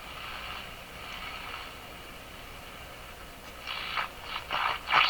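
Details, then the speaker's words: Westinghouse 535 radio after the added phonograph wiring was removed to restore original wiring: hissy windlike rushing with crackle and a heterodyne whistle building up. Spurious oscillation persists. "Uh-oh. Still doing weird things. You can hear the windstorm building. And hear the heterodyne."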